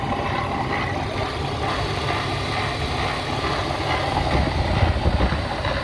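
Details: BMW E36 M52B25 at idle: uneven, lumpy idle with loose irregular beat and low thumps, noise very much from the front of the engine; owner suspects VANOS or idler/tensioner, unconfirmed.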